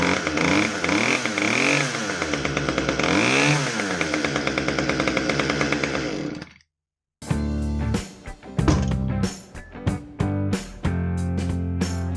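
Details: Husqvarna T435 top-handle chainsaw after ignition module replacement for a no-start: fires cleanly, picks up on each throttle blip and drops back to a steady run, with music over it; normal running.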